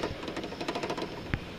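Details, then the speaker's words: Car suspension: quick dry clicks then a heavier knock as the shock absorber rod is rocked sideways, showing lateral play in the strut that caused loud noise inside the car despite many other suspension parts being replaced. "o barulho que eu sentia dentro do carro ó a folga ó olha ó vai e volta então no seu amortecedor do seu carro não pode ter essa folga"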